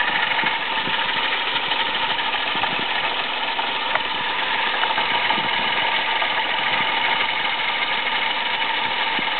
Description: This is the noise my Toyota Aygo made when its water pump was worn out. At first it only made this noise when cold, but not when the engine was warm.